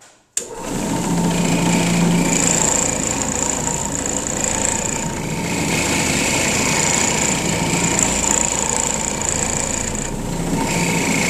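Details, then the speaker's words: Trinity CM floor machine with a new Glad Pad in a small rental room: a constant high buzzing drone with a rattling, shaking undertone. The handle adjustment mechanism kept coming loose; heavy vibration, cause unknown. "And this thing, it's about to shake the house down."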